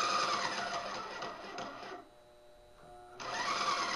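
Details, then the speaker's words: Wagner paint sprayer pump wired directly for a bench test during teardown: quick steady buzzing pump strokes at a few per second, pausing briefly then resuming, the usual sprayer sound; normal running. "now I've got it wired up here just to see if it run and that's the noise I'm used to"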